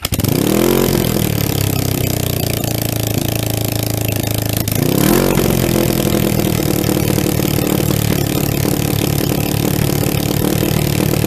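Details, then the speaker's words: Motorcycle first start after relocating ignition coils under the tank: starter cranks, engine catches and settles into a fast, steady pulsing idle with brief revving; idle set slightly high by accident. "all right guys time to do a first start on this with the coils under the tank"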